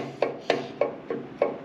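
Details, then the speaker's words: Harley-Davidson bike front end: sharp metallic clunks about three a second from a loose floating front brake rotor knocking on its carrier; rotor hardware (bolts, springs, bushings) to be replaced. "i had this bike come to me they're getting a clunking noise in the front end and they found it"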